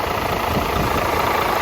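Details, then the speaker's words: DAF CF85 Euro 6 diesel truck, first start after replacing a heavily worn inlet camshaft and rockers and adjusting the tappets and engine brake: a low, even idle that otherwise sounds good, no oil leaks. A steady rushing air-leak hiss from lower on the engine, source not yet found. "Sounds alright, sounds really good. Just this sort of washing of air leak we've got, we need to find out."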